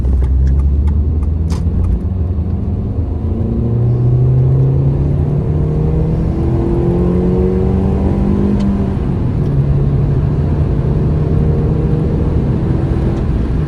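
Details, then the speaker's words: Mini Cooper (£200 trade-in project car) on a road test: steady engine note climbing smoothly through the gears with even pull and no knocks or rattles; it pulls and handles well, temperature gauge just under half, a healthy engine under acceleration. "Well, she seems to sound great. She pulls well, she's handling well."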